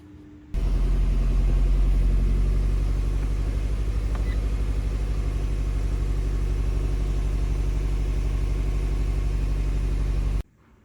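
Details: Fiat 500 1.4 16v petrol idling with a lumpy, uneven rumble and no power, in limp mode. Misfire codes P0301–P0304; coils and spark plugs to be replaced.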